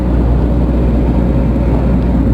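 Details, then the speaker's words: Case CX210B excavator, suspected main pump noise: a heavy, steady low growl with no rise or fall; about 5 minutes into work it starts growling and loses power; cause not confirmed. "Iya, di menit ke-5 sudah mulai bunyi. Ini biar trek langsung loyo. Iya. Oh, sudah loyo sekali nih."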